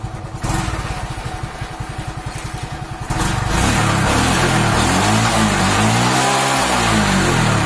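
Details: TVS XL100 small single-cylinder engine after carburetor cleaning, putting along with a quick, even beat, then picking up and running smoothly under music; healthy and steady, normal running.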